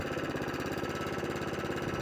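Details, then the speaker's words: Atco Balmoral mower with Kawasaki FJ100D engine that would only run on choke, after carburetor cleaning, warmed up, off choke: steady, even putter at idle and full throttle with no hunting or surging; runs smoothly. "Lovely. Back to full throttle. Lovely. No hunting. No surging."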